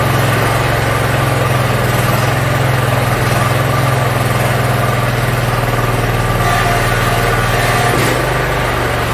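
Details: Yard Machines (MTD) 42-inch riding mower engine after carburetor cleaning and freeing a stuck emergency shut-off: steady low thrumming idle at an even pace, no stumbling or hunting; runs pretty good.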